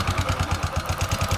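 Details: Bajaj Discover motorcycle idling with a light, even kit-kit tick over the exhaust beat, from the engine; fixed by opening the top cover and setting the cam rocker clearance.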